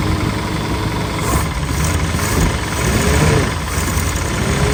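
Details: Land Rover running for the first time in 25 years, after a new starter motor and fresh super unleaded fuel, with a gauge creeping up: a steady, even petrol idle with no knocks or misses. It sounds healthy.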